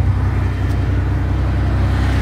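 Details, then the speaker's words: Ford F150 2WD work truck with newer clutch, new starter, battery, radiator, plugs, wires and distributor cap, fresh oil change, still needing an ignition switch: low, steady, even idle rumble with no misses, knocks or ticks; smooth, healthy idle. "doesn't [Music] smoke like I said it's pretty dry underneath gear shifts great it's got a newer clutch in it for sure it pulls hard just a $1,200 work truck"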